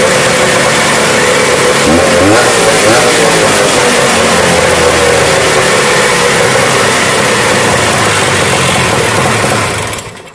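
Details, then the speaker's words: Rupp 440cc vintage two-stroke snowmobile, started after sitting many years, with a small modified stinger pipe; loud crisp rasp at steady fast idle with a brief rev, then shut off. Fuel wasn't reaching it because a melted line lost prime. Runs clean and healthy. "yeah I think sounds amazing it's got a little stinger pipe on it a little modified pipe not sure what brand it is but that thing rips"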